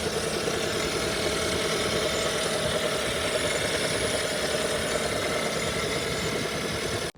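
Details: 2017 Hyundai Sonata plug-in hybrid petrol engine running with loud fast busy ticking over steady note; cause unknown, dealership and one mechanic called engine fine, another predicted failure.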